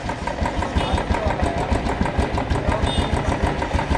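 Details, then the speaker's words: Old Royal Enfield Bullet 350 after replacing the carburettor flange rubber that caused low pickup and stalling: steady single-cylinder thump at a slow idle, about three beats a second, no longer dying when the throttle is released and no backfire. "Initial तो रुक रहा है इसका पहले तो race छोड़ते ही ना बंद हो जा रही थी तो यह देखो अब सही है बैक फायर भी नहीं कर रही"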